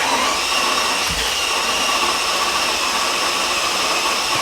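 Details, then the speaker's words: Mercedes CL65 AMG twin-turbo V12 after 50-hour engine job with new tensioner, third priming crank with fuel off: steady even starter whir without firing, no knocks or catches; cranks normally. "okay so sounds pretty normal it cranks like normal um so we've done that three times i'm hoping that's enough to have kind of primed the oiling system"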